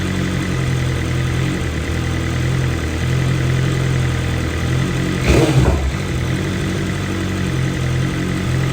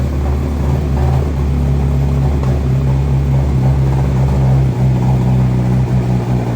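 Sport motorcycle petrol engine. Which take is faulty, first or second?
second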